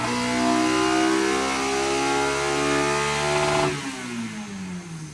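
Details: K-swapped Miata on dyno, after moving VTC to a different ECU half-bridge output and adding fuel: engine pulls cleanly and evenly up through the revs then backs off smoothly; VTC now working, healthy full-load run.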